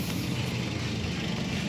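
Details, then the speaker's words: 2008 Toyota Yaris E manual petrol engine, hood open: steady even idle with light valve ticking, no knocks or misses; normal, though a small exhaust leak is possible. "Kita dengarkan suara mesinnya. Ini adalah suara khas Toyota Yaris Vios yang masih normal seperti ini."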